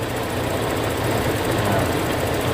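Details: 2000 Toyota Kijang Krista 1.8 EFI petrol, warm idle after oil change with Top 1 HP Sport: steady even low rumble, no knocks or misses; engine running smoothly and quietly, not overheating.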